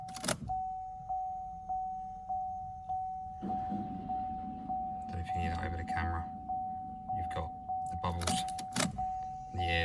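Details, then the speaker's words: Vauxhall Insignia after fuel filter replacement, ignition on to prime: steady ticking about every 0.6 s with faint gurgle as the fuel pump runs, pushing air bubbles back to the tank; normal priming. "these are pretty simple pretty straight forward on these just got to turn the ignition key on and the fuel pump will run and you eventually on the knob a few times you'll hear the bubbles going back to the"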